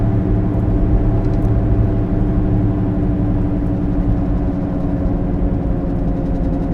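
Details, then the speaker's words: Vehicle driving with a worn rear wheel bearing, side not determined: a steady low droning growl under road noise, with no clear rhythm. This grinding, growling sound is typical of a failing bearing. "a wheel bearings typically sound grindy growly when a bearing starts to go bad it makes noise and typically that noise is described as grinding growling whining"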